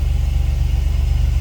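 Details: 2004 Chevy Astro 4x4, 4.3 V6 Vortec, after installing a new Brave X aluminum distributor, rotor spring tension not yet set: steady low idle, even pulse of about thirty beats a second, no misses or knocks; normal idle.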